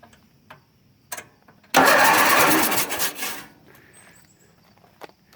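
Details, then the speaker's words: Bolens 3014H lawn tractor, Briggs & Stratton opposed twin 14 HP, after replacing solenoid, electrics bypassed with key wired to solenoid: one firm burst of even quick cranking; starter turns engine over properly. "she turns over, but I'm going to put it back together here."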